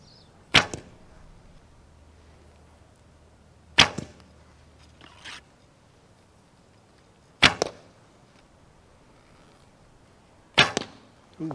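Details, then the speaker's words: Recurve bow with new endless-loop string: each shot gives a sharp crack with buzzy slap right behind it; string serving hits the limb tips as the bow returns to rest, later fixed with Velcro. "So hopefully you heard the noise coming from the limb tips where the serving was actually hitting as the bow goes back to static state."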